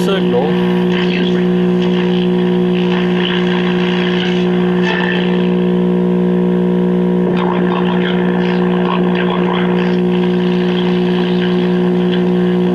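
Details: 1958 Philco F-750 tube clock radio before repair: steady low mains buzz under faint station audio from dried-out electrolytic filter capacitors; fixed by replacing filter caps, two bumble bee capacitors and an out-of-tolerance 68 ohm resistor.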